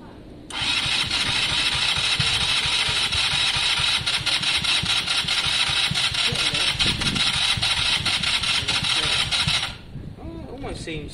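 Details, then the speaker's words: KSR Moto motorcycle after valve setting, with fuel and starting spray on a weak battery: about nine seconds of steady, weak cranking with a hissy, uneven rhythm that never catches. "sounds exactly how it is like it kind of wants to it was close there"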